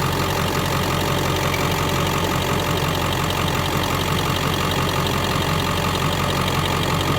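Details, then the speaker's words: 2001 Ford Excursion XLT 7.3L Powerstroke diesel, 4WD, 207k miles, 5" turbo-back exhaust, cold air intake, mild tow tune; heard from outside at warm idle, even steady clatter with no miss, rattle or stumble; normal healthy idle. "All right, let me get out so you can hear it idle."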